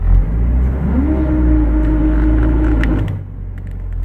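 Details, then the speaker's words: Hombre pickup with a clutch replaced weeks earlier: over low engine rumble, a rubbing drone rises then holds as the clutch engages, mostly from a standstill, worsening over time; the owner suspects the throw-out bearing, not confirmed. "I'm engaging the clutch right as its engaging then there's this noise it's not a grinding noise I'm not sure what it is it's kind of this but it's the sound of two surfaces kind of rubbing together"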